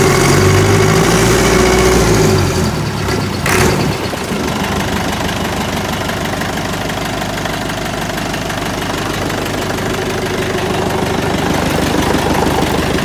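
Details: Freshly rebuilt Massey Ferguson 165 diesel tractor revs briefly, then settles to a steady, even low idle with no knock or miss; runs sweet and is more nippy after the engine rebuild.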